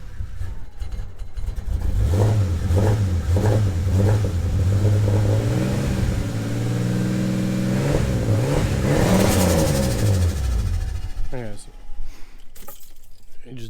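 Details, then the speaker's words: Ford Falcon AU turbo on Haltech ECU, cold start: revs surge unevenly, rising and falling, then stumbles and dies; visible smoke, running rich cold and stalling. "just died on himself it's cold um but yeah I'm like I said I'll as you can see I don't know if you can see that smoke it's running a bit Rich"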